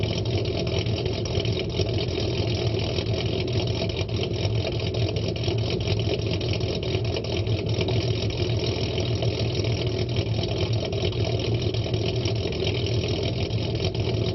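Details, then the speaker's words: Ford Mustang 4.0 V6 with idle chop mod, idle set at 725 rpm (raised from 675, which dipped to 620): low, uneven loping rumble with a steady rhythmic chop, deliberately tuned cam-style idle. "test number two the idle is now changed from 675 to 725 do a startup test and then we're gonna do a road test"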